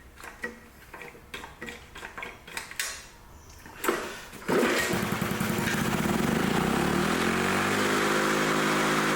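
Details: Old Lawn-Boy Loafer rider, front mower two-stroke with a new needle valve fitted: pull-start, then it catches and holds a steady but unhurried buzz; runs strong yet settles at a low engine speed.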